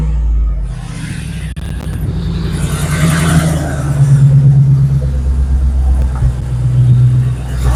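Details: Exhaust leak freshly welded shut: engine fires and revs with a deep, even rumble, no puffing or ticking from the pipes; the repaired exhaust sounds sealed and healthy.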